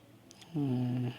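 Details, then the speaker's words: Jack sewing machine bobbin winder after repair, with its three screws retightened. Brief steady low hum for about half a second, smooth with no rattle or grinding; the bobbin winder spins normally. "இப்போ நான் உங்களுக்கு bobbin சுற்றி காமிக்கிறேன். இப்போ wine ஆகும்."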